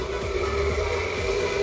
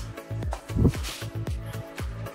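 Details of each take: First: EPC Typhoon 18-inch (450mm) 4-blade industrial fan with a 4-step regulator: a steady motor hum with a rough, uneven rumble and a ringing tone. The bearings are worn and need lubrication; the replaced capacitor is fine. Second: EPC Typhoon 18-inch (450 mm) four-blade industrial fan after servicing and reassembly with guards: a few clunks, then steady even rush of air with no grinding or rumble from the motor; healthy, occasional sounds as bearings settle.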